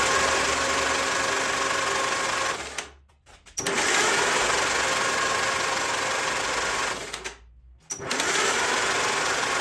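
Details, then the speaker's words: 1944 Allis Chalmers B tractor with a new starter drive gear, all spark plugs installed, engine partly freed by oil, cranked before a compression test: two long laboured cranking bursts with no firing. The starter is struggling to crank the stiff engine. "the starter is still struggling to spin the motor with all the spark plugs installed even now after it's broke free a little bit which i really"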